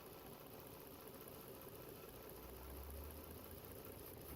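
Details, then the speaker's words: 2011 Volvo XC60 3.2 with codes P0302, P0304 misfire, P2096 lean, P0455 leak, idling while coils are unplugged one by one: idle turns uneven and lumpy as this cylinder drops out, so its coil is working. "Okay, an easy way to see if the ignition coils are bad is disconnecting each one."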